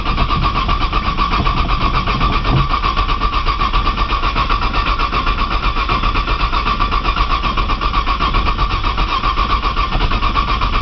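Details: Cold 1995 Nissan Maxima, 210,000 miles, push-button start, in snow, pedal lightly fluttered; owner suspects a bad sensor: long steady starter churn, even compression beats over ten seconds, no firing. Cranks but won't start.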